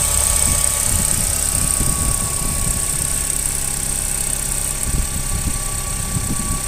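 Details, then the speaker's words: 2013 Cadillac on cold start, scan tool showing intake air temperature 32 degrees with a 12.5 degree difference from the other temperature reading. Uneven low thumps and a faint repeating tap under a steady high whine; rough idle with tapping. "it's running a little rough I don't know if you guys can hear that tapping noises pop the hood"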